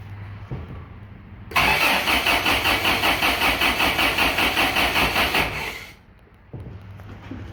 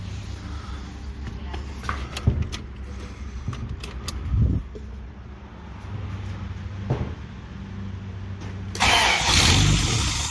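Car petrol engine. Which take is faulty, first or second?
first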